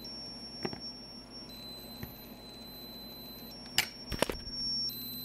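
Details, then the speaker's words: HP Omnibook board, logic probe on CPU pin 8 (reset line): a thin high tone jumps in pitch each time reset is pressed. The reset line toggles normally on this board. "yeah so uh goes to show you this board toggles the reset line on the cpu"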